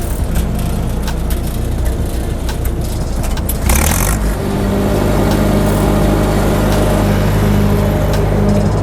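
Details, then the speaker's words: Older SA200 welding machine at about 5°F after an oil-spill morning: steady low engine drone at even speed, no knocks; cranked right up, warming up and running fine. "i'm happy that it's running fine it's cranking right up i'm just letting it warm up a little bit longer right"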